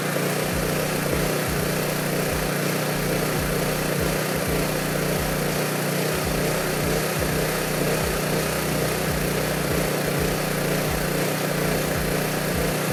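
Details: Honda EB3500 generator at about 60–62 Hz, engine just above 3600 rpm (about 3650–3660) unloaded, dropping to about 60 Hz under load: steady, even buzz at one speed, no hunting, knocks or misses; governing correctly.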